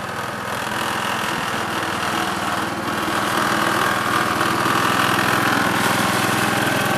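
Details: 1969 Gravely 432 engine, next morning at about 15 degrees, first drive after carb float level fix; even steady chuffing beat about three and a half pulses per second, no knocks or misses. Normal running.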